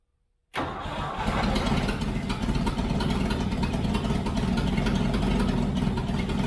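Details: Toyota FJ40 Land Cruiser first start after purchase, throttle stuck, no choke, no oil pressure shown on gauge: catches at once and settles to a loud, raspy, uneven rumble with popping; big hole in the exhaust.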